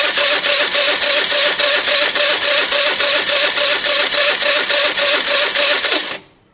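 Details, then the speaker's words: Piaggio Fly 125 scooter with running issues, after carb swap, compression test at wide open throttle: starter spins engine at quick even beat about 3.5 per second with little resistance; reads 120 psi against 140-150 expected, low compression. "120 psi that's low that's low and more importantly will it hold"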